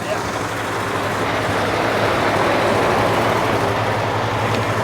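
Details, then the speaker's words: 1949 Ford flathead abandoned in the desert since 1977, seized engine freed and now running: steady, even but fast idle with a busy exhaust beat; idle speed is set too high and needs turning down. "get that idle down it's fining too high"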